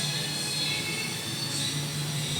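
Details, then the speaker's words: Motorcycle engine runs with a steady high whine over its low hum, which the customer describes as screaming; clutch housing and lining are fine, the cause is a worn, loose axle bearing inside the engine, needing an overhaul. "Okay naman Wala naman sira to Okay na fit na siya yung lining okays paung lining okay pa ang problem ito yung bearing nitong axle na"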